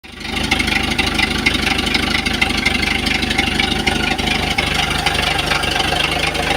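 Engine idling with a sharp, uneven ticking knock riding over it at a steady rate; a knock is present, but its cause is undetermined.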